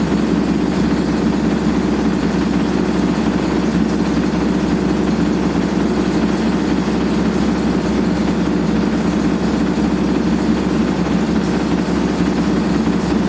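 Loud, constant rumbling roar under a steady spin with no let-up, the classic sound of badly worn drum bearings.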